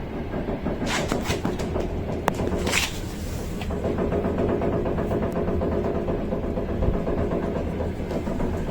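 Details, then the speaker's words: Lincoln Navigator II, steering wheel rocked in small movements: dull quick knocks over a low rumble from play in the steering rack itself, not tie rods or ends; rack removed for inspection and play elimination. "именно стук шел самой рулем вот в этом узле если попробую показать как это проверяется мной как это звучит"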